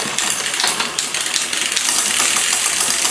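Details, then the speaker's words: Liv Intrigue road bike with new chain, cassette and cables: dry, rattling chain chatter as the rear derailleur shifts down the cassette because the cable needs more tension; quieter after adding tension. "You can hear how noisy that is coming down the block. That's cuz it does need a little bit more tension."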